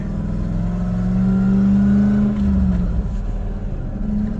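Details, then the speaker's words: 1989 Toyota pickup with a 1UZ V8 swap, driven around the block after new injectors and plugs meant to fix its finicky idle and acceleration: a smooth V8 drone under light throttle, no stumble or miss. Runs extremely smooth. "she's happy that's the boss and hey that seemed to actually do the trick it ran extremely smooth around the block there"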